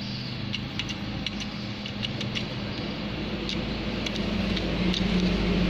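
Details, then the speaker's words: Diesel truck at idle with a loose, uneven metallic krek-krek rattle from the transmission. The cause is a slack clutch-disc damper spring, made worse by the unstable idle speed. "sangat berpengaruh sekali pada bunyi saat indel. Jadi dia bunyi krek krek krek krek krek krek krek gitu. Sangat jelas ya."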